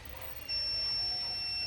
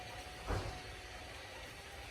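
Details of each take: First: Speed Guardian alarm buzzer on the new RX480E-4C receiver chip: a thin, high buzzer tone starts quiet and slowly climbs to full volume. This is due to the new chip's bad power delivery to the data line; the older RX480E-4 chip gives full volume at once. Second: this is direct 3 volts this is what it should sound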